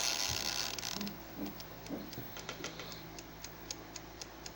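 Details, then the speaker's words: Faulty ILO air fryer, recorded for a warranty claim, set to 200 °C with the timer running: only fast, light timer ticking with no fan whir or blower hum. Indicator light off; blower fan not running. "No light in this indicator. No sound whatsoever from the air or from the fan or the blower inside."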